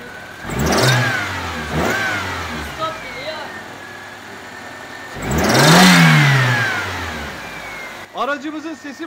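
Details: 1994 Toyota Corolla XLi 1.6 at 228,448 km after timing belt, all belts, spark plugs, gaskets and fluids service; two quick blips then a longer rev, pitch rising and falling cleanly with no knocks or rattles.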